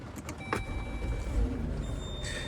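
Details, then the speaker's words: 2017 Chrysler Pacifica with VMI Northstar wheelchair conversion, at key-on: a steady high-pitched electronic buzz over cabin clunks, the alarm that sounds when the power chair is absent or not locked into the docking system; it can be muted. "you'll hear that buzzing sound if the chair is not in the vehicle at all you can press this pad to mute it"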